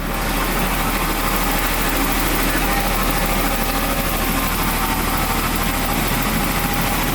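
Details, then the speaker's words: Jaguar/Daimler, 220,000 km, little used for years, just started: even steady low idle, no misses, knocks or hunting, light background hiss, no weird smoke; normal idle. "Seems to be running really nice and smoothly. And no weird smoke or anything."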